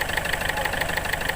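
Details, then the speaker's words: Ford Figo diesel, hard starting (starts only with accelerator), blinking check-engine lamp, low pickup: at idle a sharp metallic clatter about six times a second, louder than normal diesel rattle; faulty injectors knocking, fixed by replacing both injectors. "ये देखिए ये कितने ज़ोर से knocking कर रहा है और आवाज़ भी हो"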